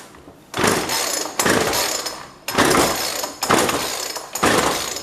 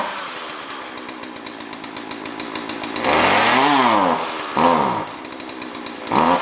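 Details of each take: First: Jonsord 2036 Turbo chainsaw bought from a neighbour, no primer, choke on: five sharp recoil pulls about a second apart, each fading with no firing at all; no start, carb getting no fuel. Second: Jonsord 2036 Turbo chainsaw bought from a neighbour, just got running: it idles steadily, then revs up cleanly three times with pitch rising and falling smoothly; normal running, being left to warm up.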